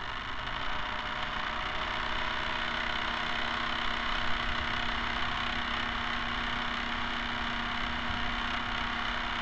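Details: Camera barge first test run with a two-axis gimbal on top. A constant whirring drone with a fine, uneven rattle over the motor hum comes from the dog-bone motor-shaft couplers, to be replaced with flexible hose couplers.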